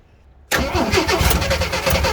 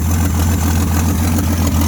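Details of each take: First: 1979 AMC Jeep J10, 258 inline-six, on freshly charged battery: cranks, fires unevenly on starting fluid for about two seconds then dies, showing spark but no fuel; filter empty, gap suspected between carburetor and intake. Fuel starvation. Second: 1979 AMC Jeep J10 258 inline six just revived, choke coming off: steady even low rumble settling into a smooth healthy idle, no knocks, misses or stumbles; oil pressure present, fuel line leaking.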